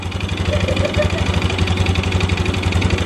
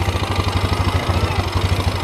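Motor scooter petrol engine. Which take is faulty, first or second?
first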